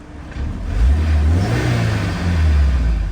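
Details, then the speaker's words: Honda S2000 engine after rod bearing and valve adjustment work to cure a faint intermittent ticking/rattle; climbs cleanly through a quick rev and settles, smooth deep note with no knocks or rattles, cooling fans on; healthy revving. "The fans turn on, as you can hear. Everything's working well."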